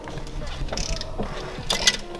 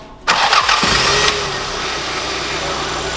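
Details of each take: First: Toyota Celica GT-Four sitting 18 years, engine turned slowly by hand before first start: irregular metallic clicking and ratcheting like a chain; chain-like rattle, cause not yet known. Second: Toyota Celica GT-Four first started after 18 years, fuel pump reconnected; brief crank then runs for a couple of seconds with a fairly even, slightly uneven beat; engine runs, fuel leak from rotten pipes found afterward.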